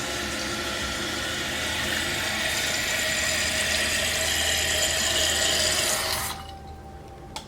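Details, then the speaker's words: Toilet after replacing fill valve with a Fluidmaster 400A universal fill valve. Steady rushing fill for about six seconds, then valve shuts off cleanly with no lingering hiss: normal tank refill. "Wait for it to fill back up. Hearing the fill me up sound. And off."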